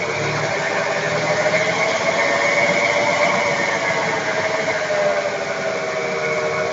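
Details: 1994 FWD Ford Taurus 3.8 while driving: steady, slightly wavering hum above road noise from a worn wheel bearing, replaced with an IJ211001 roller bearing for a 2002–09 Kia Sorento.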